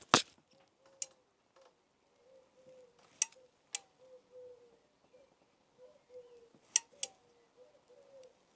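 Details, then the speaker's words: Honda CBS ABS motorcycle brake lever pulled with mic off: squeaky, jerky creaking with sharp clicks; not the pivot but the dry cam where the lever pushes the master cylinder piston, making brakes feel snatchy. "It's like creaking as you pull it in. It's sort of jerky."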